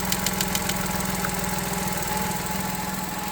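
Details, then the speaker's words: Vauxhall Corsa after fixing a ticking noise caused by a broken plastic intake manifold swirl flap: engine now idles with a steady, even low hum and no ticking, running fine. "It runs absolutely fine. So, don't scrap your Corsera if you've got a ticking noise."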